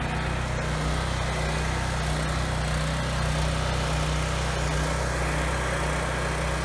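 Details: 7-year-old Husky generator, Subaru EX30 engine, after carburetor rebuild for no-load surging: even steady low drone, no hunting or surging under two 1500 W loads; holds revs smoothly.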